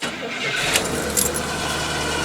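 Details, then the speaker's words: 1970 Cadillac needing about a dozen accelerator pumps: starter spins and engine stumbles without catching cleanly on a second try, a stubborn hard start. "This thing's thirsty. Takes a few pumps to get it to start."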